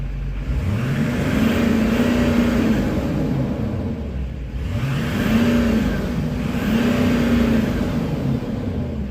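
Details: 2008 Chevy Silverado 3500 with a 6.6 Duramax LMM, after a FASS lift pump and harness install and after clearing stored limp-mode codes: repeated clean rev-ups that climb and fall smoothly with no misses or knocks. Normal revving.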